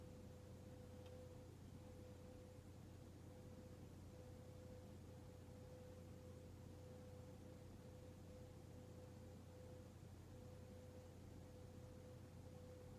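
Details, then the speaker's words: Hunter Mayfair 52-inch four-blade ceiling fan from 1988, barely used, running on medium: a quiet, steady low hum with no ticking or grinding. The bearings make no noise and the fan runs normally. "this thing is dead silent too the bearings make absolutely no noise"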